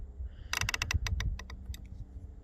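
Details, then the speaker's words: Kawasaki Vulcan 1700 Voyager/Vaquero/Nomad clutch, master cylinder cover removed: quick run of dry creaking clicks as the lever is pulled, from a dry, dirty clutch pushrod; cured by cleaning it and applying a little oil. "make sure i don't see any air bubbles or anything that just pop out a little creaking noise huh"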